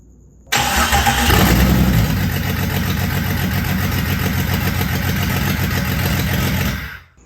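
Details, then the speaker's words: Jeep Cherokee XJ stroker engine, first start after rebuild and oiling fix, crank position sensor correctly set: quick crank catches first try, brief rev, then even steady idle with no knocking or ticking, no leaks; normal start and idle. "i am beat that took clock out of me but it runs and it started first try i'm super impressed with that very glad i got uh the cps in the uh correct position all that stuff"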